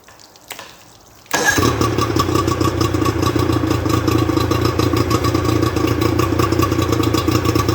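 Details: Rebuilt Johnson 50 HP two-stroke outboard on a Taylor 5.25 m boat, started on flushing water with thermostat fitted: quiet, then it catches at once and settles into a steady even beat with no misses; healthy.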